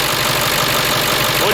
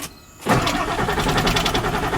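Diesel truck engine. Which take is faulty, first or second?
second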